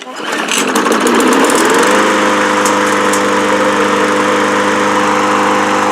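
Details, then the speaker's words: Lawn mower that wouldn't start, after an adjustment with a flathead screwdriver (engine won't fire without oxygen) and a five-time prime, clutch held down: catches after a rough couple of seconds, then settles into a smooth even run. Sounds good. "Hold your clutch down. Something sounds good."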